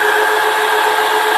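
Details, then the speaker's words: KTM coolant radiator fan, its two wires connected directly to the battery to test whether the fault is in the fan or the wiring: steady, even whir at one pitch with no scraping or wobble; fan motor starts and runs normally. "आपने देखा जैसे ही हमने battery से attach किया इसके wire को अपने आप जो इसका फैन चालू हो गया।"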